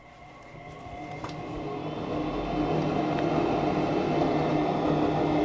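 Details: Goodman furnace GMEC960603BNAC started after replacing burners: a whoosh builds over about two seconds then holds even, no scraping or rattle, inducer fan spooling up before ignition: normal inducer fan startup.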